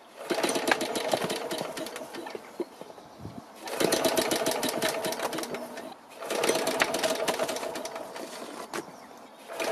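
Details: BSA 300 W ex-military generator (Chore Horse) after valve regrind and points cleaning, on choke, no load: pull-start cranking with soft muffled pops, not catching; weak spark from open-circuit magneto coil, timing suspected; hard starting.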